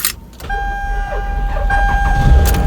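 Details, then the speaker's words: 2002 Toyota Camry XLE 3.0L V6 (1MZ-FE) that was reported hard to start: sluggish, labored cranking with a steady motor whine before it catches, from a starter motor wearing out. "got it started and you can kind of hear that slow start where it's wearing out"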